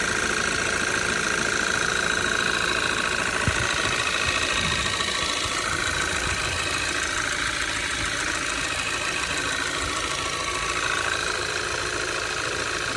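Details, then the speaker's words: Audi 2.0 TFSI gen2, 2013, Stage 1 Revo tune, 150,000 km, cold start at idle with engine cover removed: steady light ticking knock about three or four per second; owner suspects a piston pin (wrist pin) but is unsure. "И что-то вот схожий звук, как с пальчиком, что ли. Но, может, я ошибаюсь."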